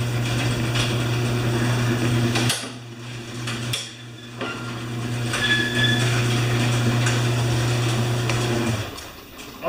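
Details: Newer Briggs & Stratton mower with plastic carb, practically new with only a few hours, that would start then stall. Steady low hum with a couple of brief dips while the carb is set, then settles and holds evenly; running fine.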